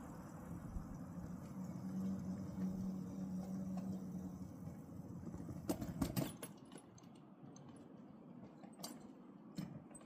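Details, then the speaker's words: Mill Brook Railroad, car 101: soft rolling rumble, then sharp metallic clunks and bangs as both front-truck wheels drop off the rail; derailment. "That's the sound of a car going off. That's the sound of the 101 going off. Both wheels, front truck."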